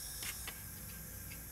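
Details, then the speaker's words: 1971 BMW R60/5 boxer, left cylinder low compression and not firing, leak-down test: faint constant airy hiss at the oil filler cap as air blows past worn piston rings into the crankcase; odometer reads 12,793 miles but speedo was dead, so likely more. "going away that's the source it's the Rings dang it"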